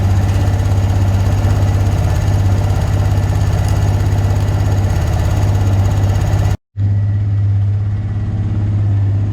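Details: Abandoned Honda Recon ATV, back together for a test ride: steady, even low single-cylinder thump at idle, no knocks, ticks or stumbles; running great, surprisingly good.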